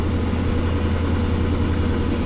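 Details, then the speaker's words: 1994 Ford Ranger 4.0 V6, about 171,000–180,000 miles, at idle after start: a deep, uneven, rhythmic lope with shaky pulses, like a dead cylinder, needing revs to stay running; it seems to be running rich and may be flooded, cause unconfirmed. "definitely loping I'm just gonna keep rev it up to keep it running"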